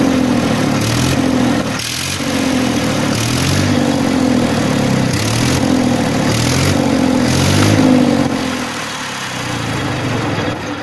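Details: 1994 Massey Ferguson 1035 DI tractor diesel at idle: steady low hum, even beat around three per second, no knocks or rattles; normal idle.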